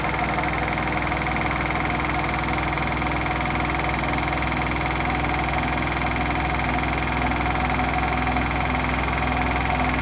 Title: Hotpoint With Bad Bearings Final Spin